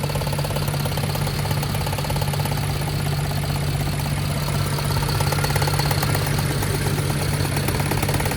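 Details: 2011 BMW 528i with N53 3.0 L I6 (272 hp), check engine light on: heavy lumpy idle with deep diesel-like chug and uneven beat, car shaking; engine misfire.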